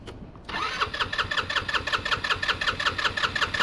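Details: GY6 scooter that sat for a year, original battery dead: starter turns the engine in an even rhythm about three pulses per second with compression present, but it never fires; carb suspected, unconfirmed; crank no start.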